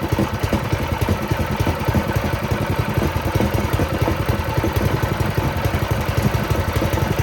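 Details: Doodle Bug mini bike, small single-cylinder engine after swap, first start with a small fuel leak: ticking over at a steady, quick patter, even and unbroken; sounds healthy and running cleanly.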